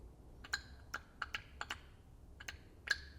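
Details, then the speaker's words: BMW N62 V8 Vanos solenoids, cleaned and switched with 12 volts on the bench: crisp, light clicks in quick irregular bursts. The solenoids are snapping cleanly and working normally. "we can also use 12 volts to activate them see how they're clicking"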